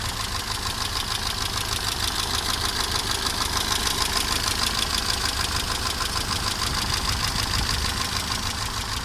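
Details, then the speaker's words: Mercedes 190E W201 at idle: quick regular light ticking about three a second over a steady idle; under load at revs on the highway a clatter is heard, owner unsure whether camshaft, valves or timing chain. "но когда при нагрузке на оборотах едешь по трассе, даешь газку, то слышно такой так-так-так-так-так, как бы клокочет что-то непонятно, то ли распредвал, то ли клапана, то ли цепь, ничего не пойму"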